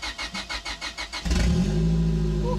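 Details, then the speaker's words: Turbo Honda Civic that sat for years, cold engine with good compression, after replacing a blown ECU fuse so the fuel pump runs: starter cranks with even pulses, then it starts and runs smooth but loud, no exhaust fitted. "The engine's started up confidently and it's running smooth. The only thing it's loud because there's no exhaust system yet, but that's not important right now."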